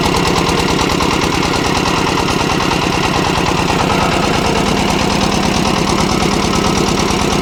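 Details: Kirloskar air-cooled diesel (10 kVA generator / concrete mixer engine) just fully rebuilt and bled of air: fast, even clatter at steady idle with no misses, surges or heavy knocks; running healthy.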